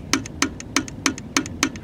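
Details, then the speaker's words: 1963 AMC Rambler AM car radio (3TMR) under repair, on power-up: sharp clunks about three times a second, each chased by a softer tick, coming from inside the radio set, not the speaker; cause not yet known. "all right boy there's one hell of a clunk in here when you power this up listen to this damn"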